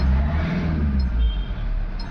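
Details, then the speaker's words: MG Hector diesel after replacing the faulty fuel pump assembly (second-hand original) that caused crank-no-start: steady, even rumble with settled idle and smooth pick-up when revved, no misfire or hunting; engine stable and revving properly. "तो second hand माल डाला है। अच्छा डाला है और engine देख सकते हो स्टेबल है और प्रॉपर रेस भी हो रहा है।"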